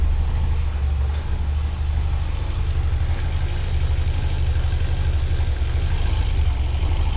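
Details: 1979 Porsche 924 after adding a relay to the fuel pump circuit and fitting a new fuel filter: the fuel pump runs and the engine starts, then idles low and steady with no misses or knocks. The fuse and wire now stay cool.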